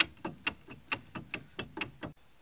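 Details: Sharp metallic clicks about four times a second as the front passenger hub is rocked by hand with the car jacked up. The loose wheel bearing has lots of play and was causing grinding noise while driving.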